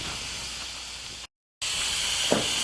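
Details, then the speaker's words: Air tank on an RPS solar well-pump install being bled to reset its precharge to the water pressure: a steady, hard hiss of escaping air with a brief break and nothing mechanical underneath. "all right he's bleeding out the air tank to reset their tank to the water pressure and all of that"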